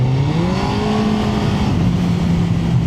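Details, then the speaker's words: Suzuki GSX-R1000 K1 opened up on pre-MOT ride: engine note climbs sharply then holds a flat drone as revs flare; owner suspects clutch slipping, unconfirmed. "I just opened it up a little bit I'm not sure whether the uh the clutch was slipping a bit"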